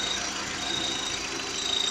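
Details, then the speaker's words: VW Gol/Voyage G6 at idle: a thin, high cricket-like chirp rides steadily over a quiet engine. It comes from a vibrating air-conditioning hose and stops when the hose is held, not the belt (already replaced), spark plugs or the 6-month-old compressor. "Aí, barulhinho de grilo, tá ouvindo?"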